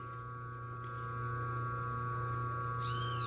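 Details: 127 V washing-machine motor on its original 25 µF run capacitor, drawing about 2.6 A, near its rated current, with the auxiliary winding also measured: a steady, even low mains-pitch hum while a cat meows in the background. The motor is running normally.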